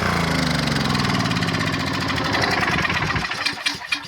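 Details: 1997 3000-watt portable generator, sat 20 years with old gas: rises and sags unevenly, never settling before winding down, only about 115 volts output; governor hunting from a varnished carburetor, replaced afterward.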